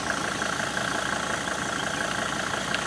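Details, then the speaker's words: Mercedes-Benz diesel, now fed from the washer fluid tank after the original fuel tank failed, idling with a steady, even clatter and no misfire or knock, after unpaved roads in Guinea; healthy enough to keep driving. "Uh but the engine is running as you can hear. So I think we have another 1,000 km to finish this race."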